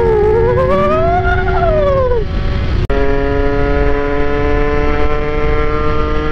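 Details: Honda NSR80 two-stroke after head gasket replacement, main jet 140; water pump mechanical seal still leaking coolant from its weep hole: buzzy note rising and falling with throttle, then steady; clean, even, no knocks.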